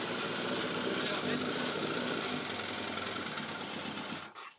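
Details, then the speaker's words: Yamaha FZR600 four-cylinder running cold without the airbox after topping up about half a litre of low oil: steady fast idle, loud even intake roar with no rattle, the suspected timing-chain rattle gone; sounds normal. "sounds normal so it looks like it had a little less hole than what it should have done"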